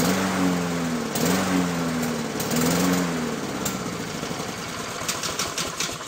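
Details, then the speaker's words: Lawn-Boy mower that started at over-high rpm, after a fix stopped the over-revving: the engine note rises and sags about once a second, a hunting surge; owner plans to clean the carburetor to fix it. "I'll have to take the opportunity to take this back apart and clean out that carburetor to fix that surging issue"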